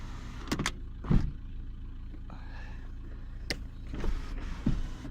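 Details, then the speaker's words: Skoda Octavia 1.9 TDI: smooth, low sunroof motor whirr with a couple of soft clunks at the ends of travel, no strain; sunroof fully working. "it's operational. Oh yeah, there we are, fully working."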